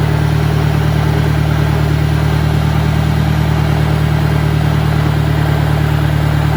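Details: 1965 John Deere 1010 with suspect maintenance, Stanley muffler, about 1000 rpm in first gear: a loud, steady low drone with a regular pulsing beat; a noisy gearbox.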